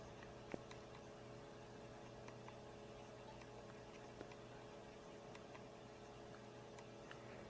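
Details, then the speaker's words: Power Macintosh 6500/275 failing to boot: faint irregular head ticks over a steady low hum with no spin-up whir; heads keep resetting to track zero while the hard disk platters do not spin. "I'm hearing heads moving on the disc but it keeps resetting to track zero and the disc the physical disc is not spinning it's trying to load and it's unable to access the disc the hard"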